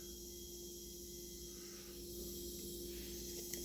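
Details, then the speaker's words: Cheap Chinese 44mm wastegate off the car, air pressure applied to bottom port on bench: steady thin hiss rising over shop hum as pressure builds; air leaking from somewhere, being checked with soapy water spray. "I'm going to crank up the air pressure till you can hear it start leaking and it's leaking from somewhere"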